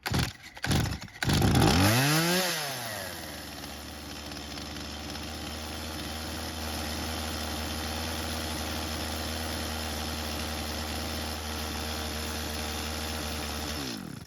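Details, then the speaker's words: Stihl chainsaw left in a barn for years, first start on fresh fuel without priming: fires after several pulls, revs, then holds a fast steady buzz that never drops low while the chain keeps moving; idle speed set too high. "the idle speed is much too high, causing the chain to keep moving."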